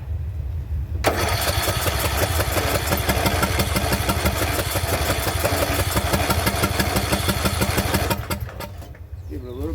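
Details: Craftsman LT2000 riding mower that sat about a year and was surging, restarted after the fix: settles into a steady, even beat with no surging or popping. Idle is slightly low, to be raised at the idle screw.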